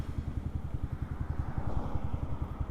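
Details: Yamaha Sniper 155R at 35,000 km on Shell Advance oil, with the stock fuel filter, throttle cable and tensioner and an uncleaned throttle body/FI: an even, steady idle thump with no knocks or ticks. The engine sounds healthy.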